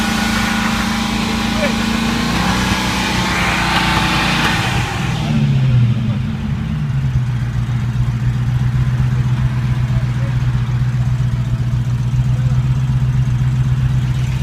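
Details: 1995 Land Rover Defender 90 first starting after a no-start, on ether, inertia switch then plugged back in: engine flares to a high fast idle, hangs, then settles to steady idle; stuck throttle cable made revs climb.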